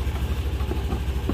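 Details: Scooter idling after start, with the alternator charging at 14.6–14.7 V: steady low putter with even, regular pulses and nothing rough or knocking; alternator judged good, engine healthy.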